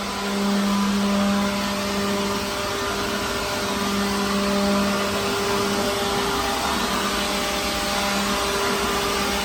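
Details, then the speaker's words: Second-hand leaf blower clearing dirt from a truck trailer. Steady even motor whine at one pitch with rushing airflow; runs smoothly and sounds healthy; normal running. "Wow, okay, so then that's just on one little go around here. I can always come back and do it, do it one more time over just to kind of get whatever I might have missed. But this thing's pretty good."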